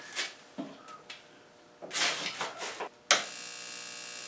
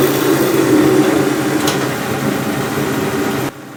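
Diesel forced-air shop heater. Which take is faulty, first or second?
first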